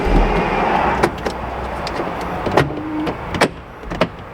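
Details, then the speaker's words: 2011 Kia Sorento LX: lock actuators clunk, all doors lock but only driver's door unlocks, other three stay locked; easy fix said to follow. "Oh yeah, well look at that. It sounds like the doors lock, but they don't unlock, is what it sounds like."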